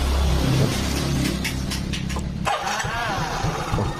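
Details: Yamaha Mio GT injection scooter that kept dying while ridden, after reconnecting a loose sensor connector that had no lock; it cranks, catches and settles into a steady, even idle with no stumbling or cutting out, running properly.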